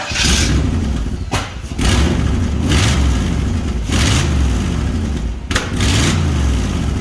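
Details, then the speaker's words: Toyota Toyoace truck first running after rewiring and fuel system work: catches and stumbles, revving unevenly with short dropouts and a pop; low fuel pressure, needs to be turned up. "And the fuel system seems to be okay, but the fuel pressure needs to be wound up a bit."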